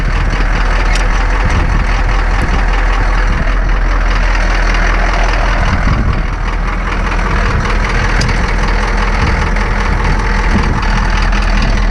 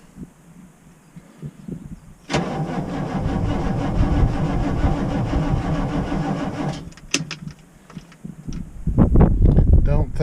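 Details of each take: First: Ex-military Humvee (HMMWV) diesel with leaking fuel transfer pump, just after a hard cold start with white smoke: loud steady idle clatter with even low rumble, no misses; running fine. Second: Ex-military Humvee (HMMWV) diesel, cold morning about 30°F (was 80 two days earlier), glow plugs cycled: starter grinds the engine slowly and labouringly for about four seconds without catching; battery suspected weak, may need jumping.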